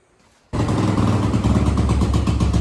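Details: 1986 Honda TRX200SX ATV after fuel tank cleaning, new petcocks and carb cleaning with new bowl gasket: fires at once, quick even single-cylinder beat, no stumbling; runs much better, though seems to starve on reserve.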